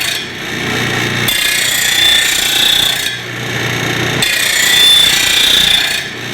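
Steady hiss of stone on steel in even passes, no chatter or grabbing, pressure-led grinding runs smooth and consistent.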